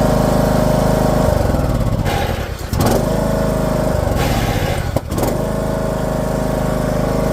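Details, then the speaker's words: Husqvarna YTH18542 riding mower with 42-inch deck runs but won't drive: steady engine with a thin, steady squeal and brief dips under load; owner suspects stripped transmission, unconfirmed. Screeching with no drive. "So it seems like it's screeching. I gotta look into it, but it sounds like it's just screeching. So I don't see any other problems it could be, but it's not wanting to drive."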